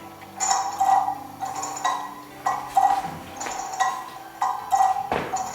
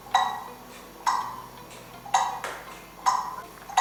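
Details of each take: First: Kieninger longcase clock movement on a test stand with a new suspension spring and a beat amplifier: ticks come in uneven pairs, so it is out of beat. The pendulum jumps because the crutch hits a pin; beat is set by a nut on the pendulum leader. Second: Kieninger longcase clock movement on a test stand, after adjusting the beat via the pendulum-leader screw and testing the hour strike: crisp metallic ticks a bit under one a second with an even rhythm; in beat.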